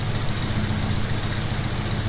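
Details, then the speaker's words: 1994 Nissan 240SX convertible at idle, coolant temperature not rising and coolant being expelled: a faint, thin high whistle that comes and goes over a steady, even idle; owner suspects another vacuum leak at an unknown spot and possibly a bad head gasket. "I can hear, dude, there's something in here like whistling crazy, but idling."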